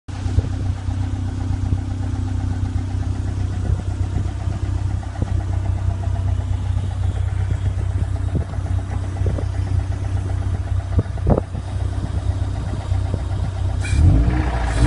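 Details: Toyota MR2 SW20 Revision 2 G-Limited, 3S-GE petrol engine after oil starvation: dull low thud at idle, then quick rev blips; suspected rod knock from bottom end bearing failure.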